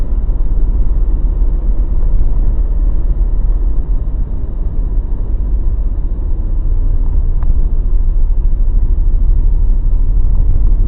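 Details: Mazda BT50 after a shop replaced two of three driveshaft cross joints and the center bearing: heavy low rumble with loose irregular clunking, grinding, cracking knocks while driving; fix involved the upper ball joint and differential oil.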